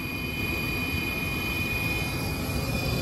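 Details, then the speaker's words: HVAC rooftop unit gas heater after replacing the intermittent spark ignition control module, which had not been sending 24 V to the gas valve: even, steady burner roar with the inducer fan whirring, no clicks or surging; burning normally, draw about 0.6 A. "now we're burning away so that's all"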